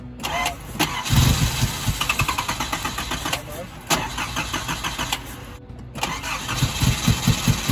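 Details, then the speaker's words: 1986.5 Nissan D21 Hardbody 4-cylinder, just converted to a Weber carburetor, near straight pipe: fast cranking into a rough high idle around 1200 rpm with sharp puffing ticks and smoke at the headers; exhaust leak at headers. "uh little bit of exhaust smoke coming off the headers but yeah she's idling lot lot of exhaust boat coming off the headers"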